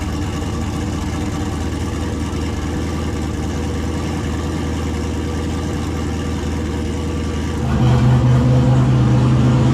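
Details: 2000 Camaro, turbo 5.3 V8 with 190k+ miles, stage 2 cam, Holley Terminator X, after new head gaskets, radiator fan and shroud, run with no hood: steady, smooth idle, then a clean rise when revved; healthy, no longer overheats.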